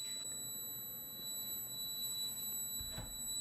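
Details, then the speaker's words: Effigis pressure test kit leakage receiver emits a steady high-pitched whistle, rising as its antenna nears an unterminated coax F-connector and falling when moved away; signal leakage from the open connector on home wiring. "So if I move it away, move the antenna away, the receiving unit, you hear the signal go down. As I move it closer to the unterminated connector, you hear the signal go up."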